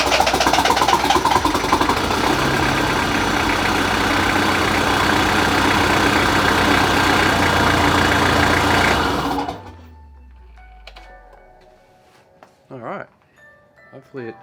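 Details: Toyota Hilux 1KZ diesel, first start after an at-home budget engine refresh and reinstall (bottom end reused, glow plugs and injectors refitted): clatters into life and holds a steady, even idle for several seconds before shutting down; normal start and idle, sounds healthy.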